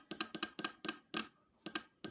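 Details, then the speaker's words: 4-pin relay from a Suzuki Espass car, powered on the bench with red lead to positive and microphone brought close: crisp paired pull-in and release clicks about twice a second in a quiet room; relay switches cleanly and works normally. "kita akan dekatkan untuk suaranya ya Nah ada suara"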